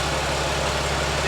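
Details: Peterbilt 379 project truck with Cummins diesel just after first start-up, at idle: steady even diesel idle with deep low drone, no knocks, misses or surging; engine sounds healthy.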